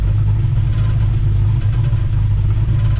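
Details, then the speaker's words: Mercury Cougar Eliminator V8 first start after rewiring to the correct 15426378 firing order, idle screws set, initial timing about 14°: deep, even lope with steady rumble, no misses or knocks, only springs rattling; normal healthy V8 idle. "other than the Springs rattling but it sounds good"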